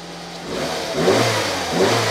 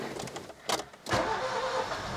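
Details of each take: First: Nissan Micra K11 after replacing badly fouled spark plugs (no-start caused by flooding and mainly bad plugs): two quick, clean throttle blips rising and falling smoothly with no misfire; engine revs freely and sounds perfect. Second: Nissan Micra K11 (about 1.0 L, size unsure) that won't start, delivered and pushed in: fast even cranking with brief uneven catches that never pick up into a run, fuel pump heard and exhaust smelling of fuel; flooded engine with fouled spark plugs.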